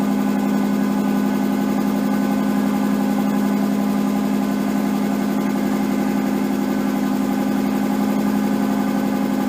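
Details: Nissan 240SX S13 with swapped RB20DET, first start after a repair: steady idle at a raised fast pitch, smooth drone, no misses; idle way too high, owner suspects slight oil burning, idle and AFR still to be set.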